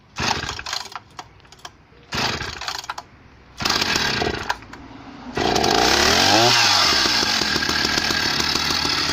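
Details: Husqvarna 480 CD chainsaw on its first tank after a full rebuild with new OEM piston and cylinder; a few short revs, then a sharp steady high scream holding clean while cutting. Normal running under load.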